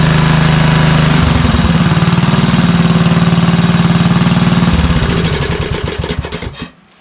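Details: Craftsman LT2000 lawn tractor Kohler Courage engine after cracked-block oil leak repair and carburetor leak cleaning, fuel turned on: steady even firing, smooth low beat, no misses, then winds down and stops cleanly; runs normally.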